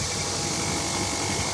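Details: Panasonic air conditioner outdoor unit, previously not cooling, after replacing a rusted capacitor plug with a broken wire: steady fan rush with a faint even compressor hum underneath, no rattles or buzzing; running normally.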